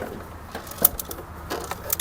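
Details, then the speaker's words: New unpowered PDMAX 140A gasless MIG/stick inverter welder, fresh out of the box: scattered light metallic clinks as it tips, a loose part rattling inside the case; to be opened before plugging in. "Uh-oh. Hear that? We got spare parts. That's never good. I'm going to have to open this thing up before I plug it in."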